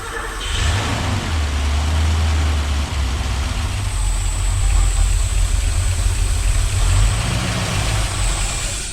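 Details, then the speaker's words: Porsche 928 4.7 L K-Jetronic V8 after sitting 20 years, fuel not getting through: roars and surges unevenly under heavy throttle, blipped to try to blow out debris; runs only on starting spray. "running on it's just on spray still just on spray yeah so we're getting some fuel in there from this"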